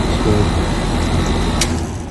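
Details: 2019 Goodman AC with leaks, whose last charge lasted only a month, outdoor compressor running in cool mode: a steady low hum with a faint constant high tone. It is pumping normally.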